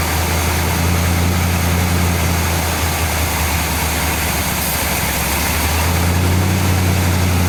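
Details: 1959 GMC pickup, 327 small-block Chevy V8, first start in 15 years, brake cleaner sprayed at the carburetor base: steady low idle sags and wavers a second or two, then recovers; vacuum leak at throttle shaft or base gasket, carburetor to be rebuilt.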